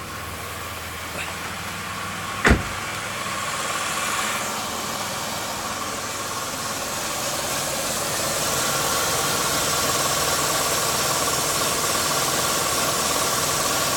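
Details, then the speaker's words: 1999 Pontiac Grand Am GT, 3.4 litre V6, previously stuttering rough low idle, after fuel pressure regulator install: engine settles into an even, steady hum with no stumble or miss; normal idle, rough idle apparently fixed. "sure seem to be running a lot smoother alrighty so that might have fixed my rough idle problem"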